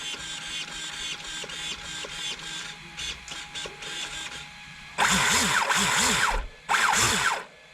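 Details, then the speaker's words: Traxxas X-Maxx electric RC truck, wheels up, throttle blips; whining bursts rise and fall with throttle and turn harsh at high revs, owner attributes the whine to gear mesh, not gearing: gear whine. "but the reason why it sounds like that is because of the mesh not because the gearing"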